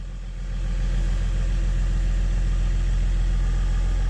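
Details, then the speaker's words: BMW E39 525d 163hp diesel after replacing the in-tank fuel pump (melted connector), with the fuse no longer blowing: a deep, even rumble settling into a steady idle with no surging or misfire. It sounds different than before; normal idle. "Suena brutal. Suena diferente, ¿no? Antes no sonaba así."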